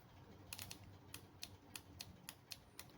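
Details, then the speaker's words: 1995 BMW E36 325i automatic transmission solenoid bench-tested on a battery: sharp, crisp, firm clicks about three a second; healthy new solenoid with stronger action than the old one removed from the car. "so this one is a really strong action and this is the one that was in the car now I hear it moving but it is not as strong as an of an action as the other one"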